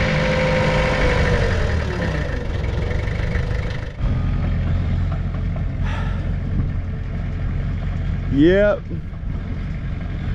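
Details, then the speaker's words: Mitsubishi BD2F dozer diesel revived after two or three years, moving under its own power: rough rumbling engine runs steadily with track clanking and a brief squeal near the end, pulling normally; normal diesel running. "all right folks first time in two or three years this dude is fixed to move out of its own spot and its own power"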